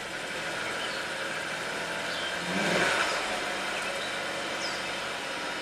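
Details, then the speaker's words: 2005 Jaguar S-Type V6 after new fuel pump and ethanol-free fuel, coolant low: catches and settles into an even, steady idle with no misses or knocks, fuel pump audible; normal idle. "there we go pretty smooth you hear the pump running sweet"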